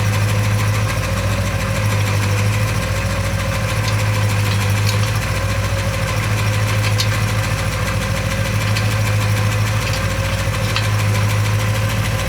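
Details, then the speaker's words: Porsche 928 V8 under restoration, after fuel pump relay refitted; smooth, steady low idle with an even beat, no ticks, misses or exhaust puffing; runs healthy. "it's very uh very smooth I'm not sure how it comes across on the camera but it's super smooth"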